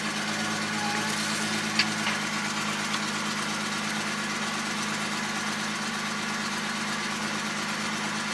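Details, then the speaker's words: 2002 Ford Mustang after fuel pump replacement via partial tank drop; fuel gauge now reads and it starts fine: steady, even, smooth idle with no knocks or misses; normal idle. "And now, my Mustang, the fuel level reads, and it runs perfectly fine."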